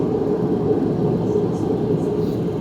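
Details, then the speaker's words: Dyna-Glo 60,000 BTU liquid propane garage heater, hooked to a gas line: igniter clicks, button pushed in and it lights into a steady, even roar with no sputter or surging; normal burner operation. "At this point, you hear the igniter going. Push this in, and it ignites."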